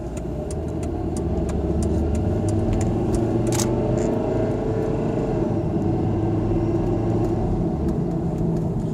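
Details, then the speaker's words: Volvo V50 driven after a rear wheel bearing and hub replacement: steady, even hum that is just snow tire noise, no growl, with slight brake noise that should settle, now far quieter than before. "World of difference that has made. Wow. Noise we hear now is pretty much just tire noise from the snow tires."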